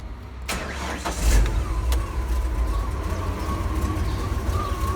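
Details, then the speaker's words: Ford F-series highboy truck after an engine and gearbox swap (old motor threw rings, puking oil): short crank catches into rough, uneven low idle with faint whistle; carb and timing still untuned. "let me just let you hear how she sounds because people might i still need to chew in the carb and the timing a little bit but bear with me"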